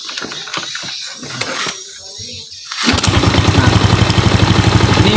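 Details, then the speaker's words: A few kick strokes, then the Yamaha Jupiter Z single fires and settles into an even, steady putter of about four beats a second, tested with the CDI fed directly from the ignition switch brown wire; starts and runs cleanly. "Di sana. Mesin menyala."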